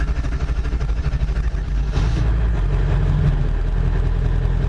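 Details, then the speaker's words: 99 Ford F-350 Powerstroke diesel after engine swap: slow uneven labored crank before firing due to air in high-pressure oil system feeding the injectors; hard crank before start. "Now, this actually does crank good, but since I just worked on it, and I've got air in my high pressure oil system, which is what dries the injectors that let them build the pressure for diesel injection, it's going to crank like crap right now."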